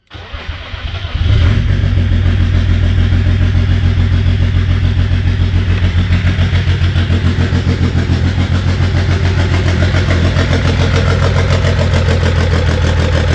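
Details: BMW M57 diesel swapped into a Mascott, first start in final position after wiring, clutch and exhaust fitted: cranks briefly, catches, then settles into an even diesel idle about three and a half beats a second, steady and smooth; normal.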